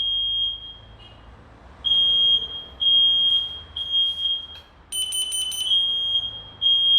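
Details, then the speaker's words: Old and new smoke detectors tested with real smoke: loud piercing high beeps in repeated bursts; this second unit sounds lower in decibels than the other, but alarms properly on smoke. "Bu da ötmeye devam ediyor bakın bunun ötme sesi e desibeli düşük biraz öteki fazla ya Öteki daha güçlü"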